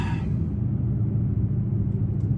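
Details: 2014 Toyota Tundra V8, 122k miles, idling right after start following knock sensor harness and intake manifold gasket replacement for code P032D. Brief start then a low, even rumble, steady with no ticking or misfire. Code self-cleared, normal idle.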